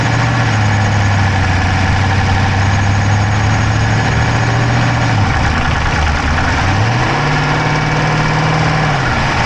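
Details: Dodge Charger Hemi V8 at idle, camera inside the engine bay on the driver's side: quick, light valvetrain-type ticking that tracks engine speed as the idle shifts; no smoke from the pipes, owner doubts a dropped valve, cause undetermined.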